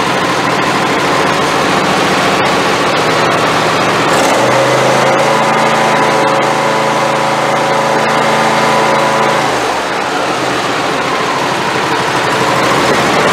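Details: Craftsman YT4000 hydrostatic riding mower, years of abuse with no oil changes or maintenance, boosted dead battery: engine catches and runs steady a few seconds, then drops off, only keeps running on full choke every restart; owner suspects carburetor idle jet.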